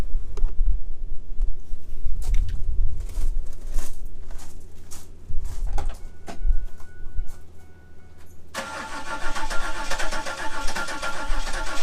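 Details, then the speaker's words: 1997 Chevrolet Camaro saved from the crusher: long cranking with odd sporadic pops, firing on a cylinder or two but never catching; compression seems good; a failed ignition control module and coil pack was the cause. "sounds like she's trying to go like it's firing on a cylinder or two but just not enough to"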